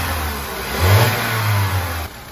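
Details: Opel Corsa D, Z12XE engine, arrived with a cracked cylinder head: a clean throttle blip rises smoothly and falls back to a steady idle with no knocks or misses.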